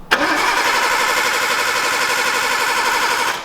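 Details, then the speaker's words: Imported Nissan R32 Skyline with a new MaXpeedingRods turbo, first start attempt: the starter cranks steadily for three seconds but the engine never fires; the fuel pump seemingly not primed, suspected. "doesn't sound like you fuel pump primed might be a good idea to plug in the uh the car probably a good idea"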